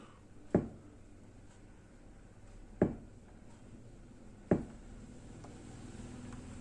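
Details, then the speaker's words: Kenwood A-58 Pro-Logic amplifier with a no-sound fault: three sharp isolated pops when switching modes, with no music, and input only faintly audible at full volume. A faulty analog input-switching IC was found and replaced. "Floating sound மட்டும் தான் கேட்குது, அதாவது நம்ம change பண்ணுற sound மட்டும் தான் கேட்குது."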